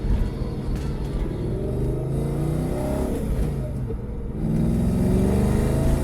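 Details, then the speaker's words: Audi B6 S4 4.2L chain-driven V8 after six months of rebuild work, lightweight parts and a replaced crank sensor: deep rumble swelling smoothly through two clean rev blips with no knocks or ticks; normal revving. "Sounds really good, and I can already tell that there's a decent amount of torque with this."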